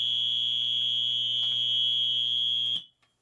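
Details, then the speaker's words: 1966 Gibson GA-15RVT Explorer tube amp powered up on the bench: loud, steady hum and buzz with a harsh high edge, typical of bad power supply filter capacitors, plus rattling output tubes. "that's a lot of hum that's usually associated with bad capacitors"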